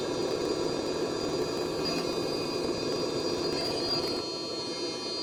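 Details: Hcalory 12V 5kW hydronic Chinese diesel heater on test bench, water heating past 40–70 degrees: steady, even roar with a faint high whistle, no surging or popping; burner running normally.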